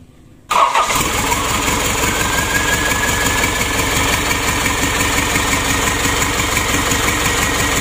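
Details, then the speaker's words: 2014 Isuzu Elf NKR 71 diesel after engine rebuild, new injector nozzles set to 2700 PSI, new rings, Bosch pump timed at 2 degrees; fires almost instantly and holds a steady, even idle clatter with no misses or knocks. "kita matikan lagi untuk hidupnya tidak ada masalah langsung nyes"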